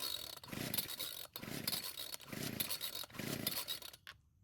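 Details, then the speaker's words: Old Homelite string trimmer: four raspy recoil pulls with no firing or catch, cranks but won't start; possibly flooded, and still no start with choke off; carburetor function in doubt. "So unfortunately, it didn't even try and start, so I might have flooded the engine. Next, I'll take off the choke and try starting it again. So yet again, it didn't start."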